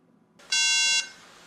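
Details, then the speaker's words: White 13-inch MacBook after a RAM upgrade: a single loud, piercing high beep of about half a second at power-on, meaning the RAM is not seated correctly. The fix is to remove it and reinsert it more firmly. "now if you go to turn the map back on and you hear it beeping this is a good indicator that the RAM was not seated correctly so remove the RAM and reinsert it again this time applying more force"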